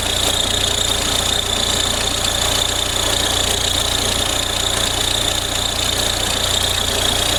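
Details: Audi A4 B6 1.9 TDI diesel at steady idle with a constant high chirping whir riding on top, coming from the worn accessory belt tensioner.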